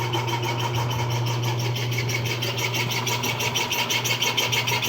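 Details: Washing machine noisy when switched on: a steady motor hum with a rhythmic high scraping about three times a second, traced to the motor, from a dry, rusted motor bearing.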